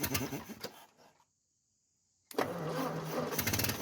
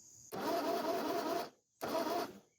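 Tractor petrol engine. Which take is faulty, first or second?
second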